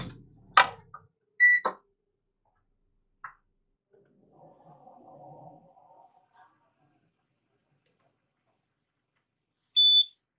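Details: Citroën C3 Aircross 1.4 TU5JP4 (NFU) Flex, Bosch ME7.4.9, check-engine light on with P0420, scanner plugged in: two short high beeps several seconds apart as the car starts; warning chime at start-up.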